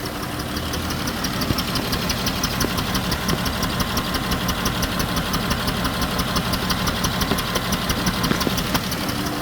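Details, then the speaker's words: Dodge Chrysler minivan, 134,000 miles, overheated after driving with a coolant leak (broken plastic heater-core tees); uneven idle with a loose knocking pulse about three times a second, rhythm stumbling: running rough, cause not yet confirmed. "Now, again, the question remains, why am I running rough? Did they cook this damn thing?"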